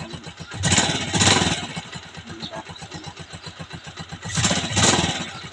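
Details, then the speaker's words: Honda TMX 125 Alpha carbureted single-cylinder motorcycle, cold morning kick start without choke after pulling clutch and slight throttle: two strong kicks, engine catches and settles into steady quick putter; clean cold start, idle and air-fuel mixture correctly set. "yan guys nakikita niyo umandar na siya dalawang sipa lang"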